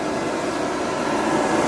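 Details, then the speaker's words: Veichi inverter on mains bypass charging its battery, charge current 22–23 A, expected to rise toward 100 A: steady, even airy fan rush, no ticking, scraping or rattle; normal cooling fan noise under charging load. "Все, інвертор у нас побачив, що є мережа, перемкнувся в байпас і зараз він повинен заряджати акумуляторну батарею. Такий шум, тому що на струм, дивіться, зараз 22, 23."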